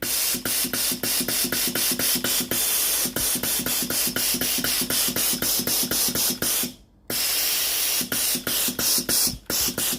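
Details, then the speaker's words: Philips GC9622 steam iron after solenoid water valve repair and reassembly, water supply button pressed: regular sharp hissing steam bursts roughly every third of a second with a brief pause; steams evenly, normal output. "When the machine is ready to use, press the water supply button. Steam comes out"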